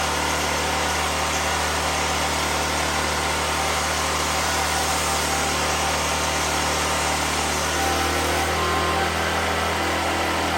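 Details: 2014 Black Max generator with carb work done and about 97 hours on the meter, running a grinder under load. Steady high-pitched buzz at constant speed, with a slight shift as the load comes on. Runs the grinder without issue.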